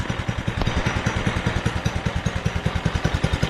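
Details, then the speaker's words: Doodle Bug DB30 minibike, old and gunky, just fitted with a new carburetor after running rough: choppy low putter of about three to four uneven beats a second; the owner thinks it may be too rich and need a carb adjustment. "it might need a carb adjustment I have no idea I just slapped the new carbon so I really know what I'm doing"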